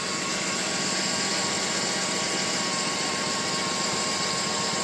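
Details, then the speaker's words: A 2008 Chevy Trailblazer, which had been sitting, fires up and idles. A fast, light ticking and hiss come from both exhaust manifolds, which are cracked. "the exhaust manifolds both are cracked you can hear this thing ticking both of them are cracked"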